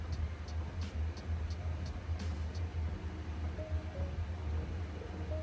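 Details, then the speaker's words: Chinese diesel heater, first start after install in a sixth-generation Ford Bronco, priming: crisp tick about every third of a second over a low hum, dosing pump speeding up during start-up; normal fuel pump ticking. "and you can hear the fuel pump is starting to get faster click click click click click click click click"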